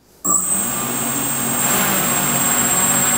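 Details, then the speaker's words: DRS250 quadcopter during pre-flight check, motors armed at about three percent throttle: they snap on into a steady, high, even whine that holds a constant pitch, normal motor idle. "so in order to keep the motor spinning what you want to do is you want to move it over to the left and then just give it a slight amount of power so that the motors will spin up and keep spinning"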